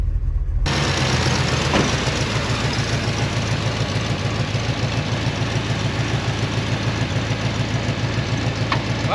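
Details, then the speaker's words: 1987 GMC truck started with needle-nose pliers as the key after a water pump change for an antifreeze leak, in cold weather: catches after a brief crank and settles into a steady, even low idle, about three pulses a second, no knocks. Normal idle. "running all right well sounds good I guess we'll just go with it"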